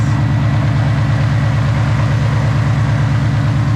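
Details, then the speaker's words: Whipple-supercharged Coyote-swapped Fox-body notchback on E85, about 900 hp, cold start: deep lumpy V8 idle pulsing about twice a second with an unexplained noise, heard worse from underneath; cause unknown. "Alright, so these here, we've got a little bit of noise."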